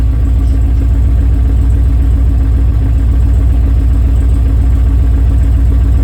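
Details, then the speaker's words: 6.0L V8 swapped into an FD RX7 idling loud and low, missing badly with an uneven thump about every quarter second. Fuel pressure is low: 25–35 PSI at idle against a 60 PSI spec, dropping on throttle. "now it really sounds like it's missing pretty bad okay"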